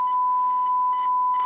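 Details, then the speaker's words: Rotel RX-1203 1970s receiver (volume control fault, power switch stuck on) playing a loud steady test tone with a gritty buzzy edge and crackly bursts; the amplifier is distorting the tone, needs work. "A tone on here, and you can actually hear the distortion. See? Hear that? That's, you know, things need work. Definitely need work."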